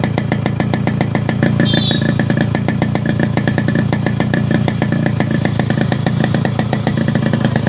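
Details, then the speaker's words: Restored Yamaha RX100 two-stroke with an altered silencer core, idling after electrical work; it needs a 3–5 hour run-in before engine noise drops. Crisp, even popping with a steady beat and no misses or rattles. Healthy idle. "Engine run ஆக உங்களுக்கு வந்து அந்த engine noise கம்மியாகி உங்களுக்கு output sound நல்லா கிடைக்கும்."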